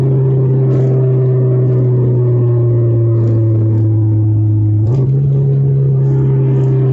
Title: Nissan Sentra QR25 Acceleration; Fixed intake and Vacuum leaks, new O2 B1/1, and new TB.